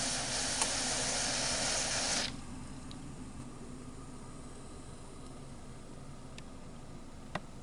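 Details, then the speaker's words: Instant Pot coming up to pressure during water test run: loud steady steam hiss from the valve about two seconds, then quiet boiling rumble; normal. "You might hear the rumbling inside of the water being boiled. And eventually, you might even start to see some steam coming out of the valve."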